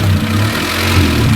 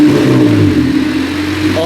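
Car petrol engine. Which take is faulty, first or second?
first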